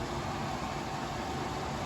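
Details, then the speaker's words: Air purifier (Ecoself vs Jafanda comparison) switched to its highest fan speed, 3 of 3; steady, even rush of air with no rattles, ticks or pitch wobble, fan running normally on its top setting. "So if we come here one more time, I hit the speed button again, you get 3 fans showing. And now we are in the highest speed setting."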